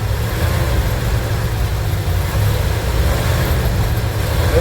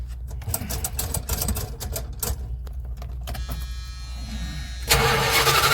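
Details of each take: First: Van engine running for the first time after work, fuel system still to be sorted: deep steady V8 idle rumble with even pulses, no knocking or misses; sounds good. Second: Van engine project being started for the first time: starter grinds, engine catches with a surge then sags and dies instead of idling; failed start, cause not stated, succeeded on next attempt.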